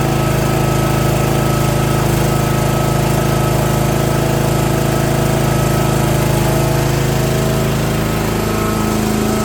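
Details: Old Simplicity rear-steer mower with a 17 hp Briggs & Stratton overhead-valve engine, sat for years and not starting, now running after valve-cover reseal: steady even drone at constant throttle with no misses or knocking; runs smoothly.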